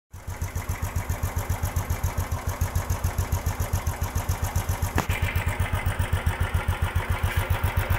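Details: 2015 Royal Enfield Classic 350: a steady thumping idle around four beats a second with a clattery edge on each beat. Timing chain mismatch causes the noise and a lack of pickup.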